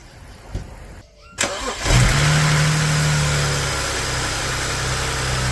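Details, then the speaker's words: 2009 BMW 335i after alternator replacement; starter cranks briefly, engine settles into a smooth, even idle with no ticks, knocks or whine, battery reading about 15.2 V charging; normal idle. "Well, there you have it, guys. She's running. Sounds good. I don't hear any funny noises."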